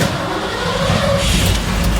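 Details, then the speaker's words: 1966 Ford Ranchero after new distributor fitted, three spark plug wires found disconnected; engine runs fairly smoothly but with a lumpy, uneven note from the missing cylinders; misfire from disconnected plug wires. "I thought I needed some adjustment look down in here one two three of the spark plugs are not connected so it's running pretty good for a four cylinder or five cylinder"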